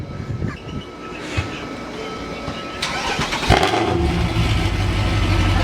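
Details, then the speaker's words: Modified Mercedes C63 AMG V8: loud, deep, slightly uneven idle, smelling rich, with every cylinder misfiring and no code shown. A friend suspects the O2 sensors and all four are being replaced. "what do we have every cylinder misfiring nothing oh no code"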